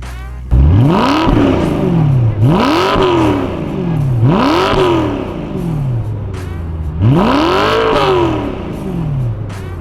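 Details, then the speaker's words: BMW E92 M3 V8 after a full rebuild: four clean rev blips with pitch rising and falling smoothly, a crisp exhaust and no rattles or misses; a healthy exhaust note. "here we go fires up everything sounds good sounds normal let's listen to that exhaust [Music]"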